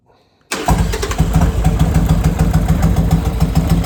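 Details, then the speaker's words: Harley chopper V-twin after a full rebuild and repaint: quick start, then a lumpy, even idle at about 200 pulses a minute, steady with no knocks; normal start and idle. "I was starting to think it would never actually get back together and run again, but here it is."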